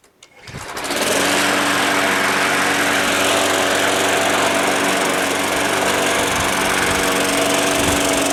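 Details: Small engine that sat all winter, primed about five times, catches within a second and settles into a steady, even buzz with no stumbling; it runs healthy.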